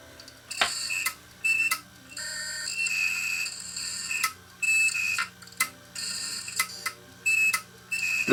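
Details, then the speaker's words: Opened failed 1TB Western Digital hard drive from a failed DVR, screwdriver put to the platter surface: bursts of scraping with a high thin tone cutting in and out; doesn't sound good, drive is shot. "Doesn't sound good. Okay, well, enough of that. Enough of that. This is shot."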